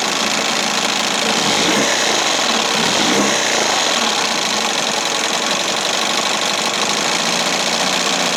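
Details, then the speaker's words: 1968 Evinrude Fisherman 6 hp two-stroke outboard after throttle linkage repair and mixture set to the sweet spot, hood on. Steady, buzzy high-pitched drone at even throttle with only slight vibration underneath; running well, sounds great. "See what it sounds like with the hood on. Sounds great. Little vibration."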